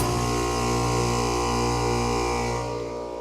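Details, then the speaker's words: 4-ton heat pump starting off-grid on two Anker F3800 transformerless-inverter power stations at 120/240V, mic placed by the unit. Steady low hum building smoothly with no clunk, stutter or strain: a clean, very smooth startup, then running at about 2,300 W. "That is the smoothest startup I've ever had with one of these transformerless inverters. That is awesome."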